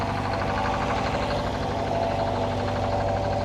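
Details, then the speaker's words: Detroit 4-71 two-stroke diesel powering a sawmill, warming up after a cold start: even, continuous diesel clatter with a steady drone and no lumps, running smoother; normal diesel idle. "But anyway, it sounds like old Blues are starting to run a little smoother."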